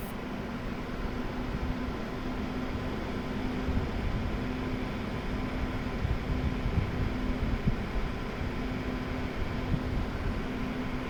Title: fan rattling noise.